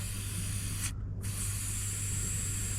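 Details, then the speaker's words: Range Rover L405 front nearside air suspension strut bled down before wheel bearing removal: steady hiss of air escaping, briefly cut, over a low hum as the pressure is released. "so you hear the air come out already mhm so that's cly taking the pressure off"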